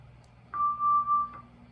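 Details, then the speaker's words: Hammond organ ratcheting drawbar pulled slowly while a key is held. The note briefly dips out twice between steps: contact dropouts from a damaged resistance wire under the contact that bridges the drawbar contacts. "this is why I hate ratcheting draw bars you do the same thing you got little dropouts between"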